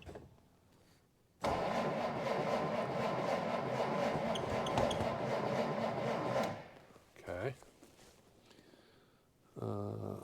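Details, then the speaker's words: 1947 Dodge D24 Deluxe with fluid drive, not run in over 6 months: steady churning crank for about five seconds with choke and some throttle, no firing; cranks but won't start, owner suspects an ignition issue. "uh I don't know it's turning over oh okay like it that the choke all right so it's not not starting at all"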